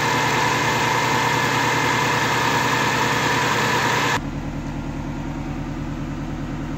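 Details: Subaru Forester XT 2.5 turbo EJ25 boxer, rebuilt on an 800 hp closed-deck block after blowing up, initial startup on break-in tune: even, steady idle, smooth low rumble, regular pulses, no knocks or ticks; sounds balanced, something burning off.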